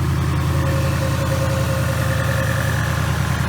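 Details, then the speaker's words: 2018 Mustang GT, first start with new engine on high-zinc break-in oil and large Mishimoto radiator: smooth, even low V8 rumble with steady beat, no knocks or ticks; idling cleanly while warming up, running good. "alright guys we're just gonna let the car run in warm up for a little while she's running good"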